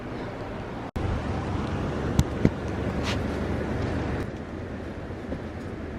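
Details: 2001 BMW E46 330i wagon after replacing clogged, melted OEM headers/cats with aftermarket catless headers and new manifold gaskets: steady low exhaust drone as the six revs, no ticking, puffing or rattling against the body; exhaust sealed and healthy.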